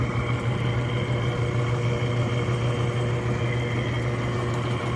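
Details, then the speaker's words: Freshly rebuilt Clipper Super 47B grain cleaner, unloaded, no screens or rubber balls: steady low motor hum with soft fan rush, no growling or irregular noises; normal running. "the motor hums right along I don't hear any growling or any irregular"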